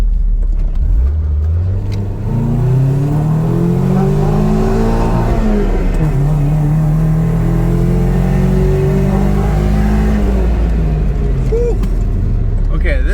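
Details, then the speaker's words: KA24DE-swapped Nissan 300ZX after a new fuel pump (fuel previously seemed to cut out before redline): pulls cleanly to high revs without stuttering, then drops back; an estimated 20–30 hp gained, normal acceleration. "J'ai l'impression que nous avons gagné facilement 20 30 puissance au moins juste à partir d'une pompe à carburant"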